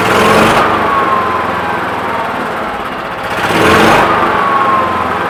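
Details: Generator unused for about nine years, given fresh fuel, during pre-hurricane prep: a small engine holds a steady buzzing run, surging gently and settling without stumbles. It runs normally.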